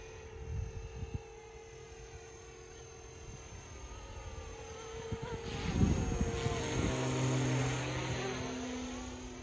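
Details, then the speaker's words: FlishRC AS350 450-class electric helicopter, 4S LiPo, 2500kV brushless main motor, separate tail motor on 60A dual ESC, hovering: thin high whine wavering and climbing as tail motor works, intermittent; tail motor whine. "Flies a little different than my other 450. This has a tail motor and kind of whines sometimes. You can hear it there."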